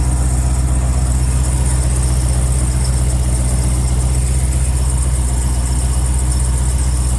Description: Trackhawk Squeaky\tinkling noise on cold start, than goes away after it warms up.